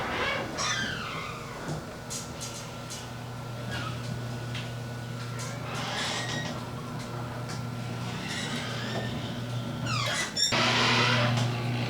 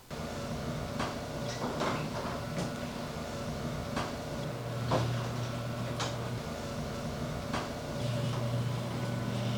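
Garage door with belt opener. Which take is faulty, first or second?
first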